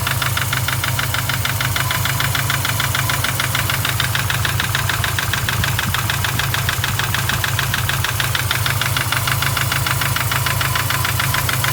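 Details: Newly built forged EJ25 flat-four with new rods, camshaft and bearings idles cold with a steady fast tick, about three per second, from the passenger side. It goes away after some time as the engine warms.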